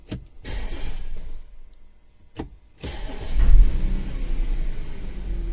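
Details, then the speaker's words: 2010 Audi Q5 with P0491/P0492 secondary air injection codes after a pressure sensor replacement, started for a running test; uneven crank bursts, pause, then catches roughly and settles unevenly; stumble suspected from a leaking fuel injector. "that's stumble when it starts because of fuel injector leaking"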